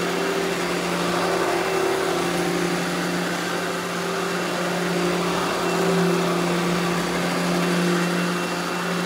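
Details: Eureka The Boss Smart Vac upright vacuum, model 4870 type GZ, bought secondhand, belt replaced; switched on for a demo: steady, even mid-pitched motor hum, no rattle, grinding or wobble; motor and belt sound healthy, normal smooth running.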